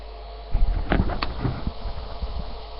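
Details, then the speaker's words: Computer monitor giving a steady low electrical buzz under some handling noise; the buzz stops when the monitor is switched off and returns when it is switched on. Plugs were checked and pushed in; owner suspects the monitor is failing, cause unknown. "you turn the monitor off stops gone i'll turn the monitor on again but pictures come back on what the hell is that"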